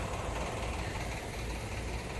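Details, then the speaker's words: Outdoor home air conditioner unit running: heavy low rumble that roughens and wavers rather than a clean hum; owner says it doesn't sound good and hopes it lasts the summer; cause unclear. "Hopefully you can hear me over the air conditioner. It doesn't sound too good either. I just hope it lasts for the summer."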